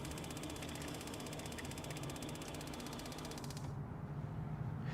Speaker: Right now, because we just activated the system, it's working the, you know, the air out of the system. So, that's why you hear the igniter uh clicking over so much.